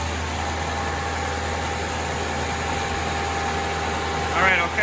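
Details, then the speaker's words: 1985 Nissan 720 freshly rebuilt engine coming up to operating temperature after first start, oil pressure holding; steady even idle, low constant hum, no knocks, misses or ticks, healthy. "let's see how our temperature's doing we're coming up off of the floor on temp keep checking the oil pressure we're still going to oil pressure we're coming up to temp"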